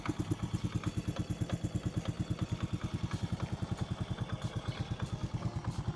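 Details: Honda motorcycle with rebuilt top end (new carburetor set, new cylinder barrel), started: steady, even exhaust thumps with no tapping or rattle; owner says engine runs smooth; normal idle.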